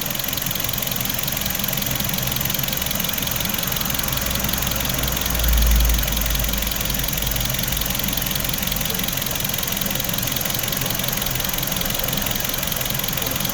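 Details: 2016 Hyundai HB20 sedan 1.6 at 130,000 km service, battery, starter and alternator tested OK: steady, even idle with a smooth low hum and no knocks or misses; engine healthy at rest.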